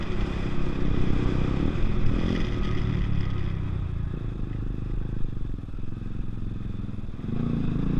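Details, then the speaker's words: Chinese fuel-injected Zontes motorcycle with repeated cutting-out: idle sounds low and uneven, loping and sagging as if about to die, then cuts out gradually rather than suddenly; idle was low, owner to adjust it at the injection system, having earlier suspected the spark plug. "it did cut out it didn't it wasn't a sudden cut out this time which is which is something that's good it was a um like the idol was low"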